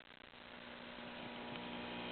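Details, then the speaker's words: 1960–61 Voice of Music tube record player amplifier, buzz test through workbench speakers: the left channel gives a steady hum clearly weaker than the right. 12AX7/7025 voltages check good, and the cause is still unknown. "That's the Left Channel and as you can hear the left is considerably weaker than the right so that means we we still have a problem we need to deal with"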